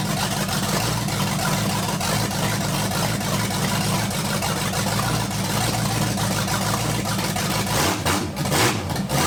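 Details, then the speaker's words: 1980 Dodge short-bed truck with a big-block V8, running for the first time in 14 years, wiring and charging just completed: a deep, even idle holding a steady beat with no misses or knocks. Normal idle. "first off what we need to do is just listen to this thing run got everything wired up make sure everything's charging and good to go"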